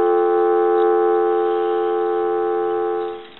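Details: Duck novelty telephone, repaired after damage and a broken line, picked up: a steady, unbroken low two-tone hum for about three seconds, then cut off cleanly, a normal dial tone.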